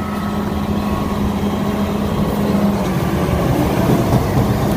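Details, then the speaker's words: Combine running stationary, heard from the upwind side: heavy low rumble with a faint, uneven knock from a catastrophic shaker drive bearing failure, which caused vibration the previous day. "something's knocking i hear it it's gotta be in that shaker doesn't it"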